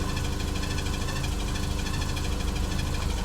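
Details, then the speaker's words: Porsche 944, off the road five years, just restarted, radiator leaking: loud, uneven low rumble with a fast repeating high budgie-like chirp over it; engine runs rough, chirp cause unclear. "I honestly can't believe we got her running sounds a bit like a Budgy but she's running so I got to work out with that Budgy sound is"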